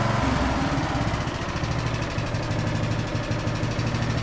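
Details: Briggs and Stratton–powered Craftsman DLT3000 riding mower after fuel tank flush and fresh fuel, formerly a no-start: settles into a steady low single-cylinder thump after starting and keeps running evenly; runs normally.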